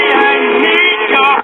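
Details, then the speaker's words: Symphonic 78 rpm record player with working amp and new 89T cartridge: record playback harsh, buzzy, distorted on every note through the 4-inch speaker; messed-up cone with voice coil drag. "speaker sounds like garbage. Well, this might be an easy speaker replacement for a change."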